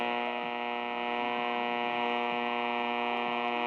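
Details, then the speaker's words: AM radio with a cheap loop antenna nearby: a steady buzzy hum with a rich stack of overtones and a faint pulse about four times a second over the station; interference buzz on certain AM frequencies, only partly reduced by positioning. "right so you can hear the buzzing the [Music] [Music] of fight it noise uh by that time frame it was you can actually listen to that that um [Music] it's not perfect"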